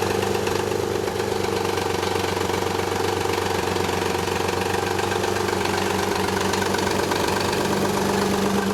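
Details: 1991 Nissan 300ZX at idle: quick, fairly even rattle about four per second, goes away after about a minute of driving; timing belt slack from collapsed tensioner, upper and lower idler pulleys also noisy; fixed.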